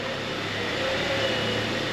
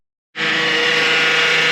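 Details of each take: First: 2009 Honda Accord at idle after topping off power steering fluid and turning the wheel to bleed air: low steady pump hum with only a faint whine; pump now much quieter than before. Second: 2009 Honda Accord at idle with power steering low on fluid: the pump whines steadily with a hissy edge because the fluid in the reservoir is foaming and aerating.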